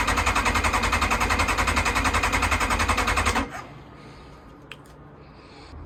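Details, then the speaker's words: Kawasaki ZX-9R after over four years outdoors: steady starter cranking about 3.5 turns per second, never catching; crank-no-start from fuel starvation, with fuel filter half full but fuel pump outlet pipe completely dry, no fuel reaching carbs. "check this out I think we've got some kind of a fuel issue I'm not getting fuel through"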